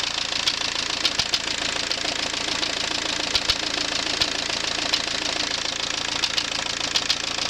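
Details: AWX diesel engine at idle: sharp metallic ticking about three to four knocks a second over a steady idle. Engine knock, origin unknown.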